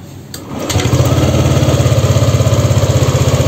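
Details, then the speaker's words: Yamaha Lexi scooter scanned with JDIAG M100 PRO, no fault codes: short starter whirr, catches at once into a steady, even putter, idle about 1600-1700 rpm, rated standard, battery 13.6 V; normal start and idle. "ini datanya putaran mesin ini di 1000 700 ya 1600 sampai 1700 Ini standar standar ya"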